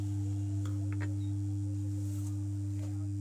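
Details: Home theater subwoofer: a constant low hum with a steady higher tone over it, unchanged when the amplifier IC's pin 1 input is probed. The IC itself has failed and is being replaced; the capacitor is not blamed.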